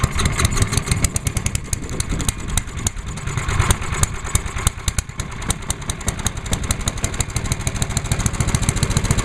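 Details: Start and idle of a small single-cylinder from a 2017 season start-up (1986 Lawnboy 8461 or 1998 MTD chipper/shredder), oil checked, TruFuel with the fuel valve left on, on choke at half throttle; catches quickly and settles into a steady, even popping idle with no misses or knocks. Healthy.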